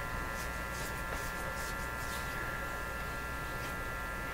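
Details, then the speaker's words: 1947 Stromberg Carlson 561 broadcast-band tube radio after power supply capacitor replacement: steady low buzzy hum remains with audio quiet; owner suspects a high-impedance grid, not confirmed. "you can hear the hum when I when this is disabled when the radio goes quiet there you can hear it there"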